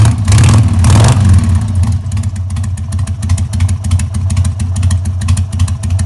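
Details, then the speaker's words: 2000 Harley-Davidson XL883H Sportster, just started after ignition module replacement (previously backfired and wouldn't restart hot, weak spark), choke off: lumpy V-twin idle after a blip, beats wandering instead of settling. Rough idle, owner suspects timing not 100%. "I don't think the timing's right because the bike doesn't seem to be idling right."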